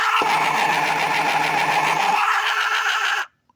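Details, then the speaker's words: Battery air hockey puck toy (two alkaline batteries) that stopped blowing: harsh buzzy grinding for about three seconds then cuts out; owner suspects something skipped, not confirmed. "that tells me that noise tells me that there something has skipped"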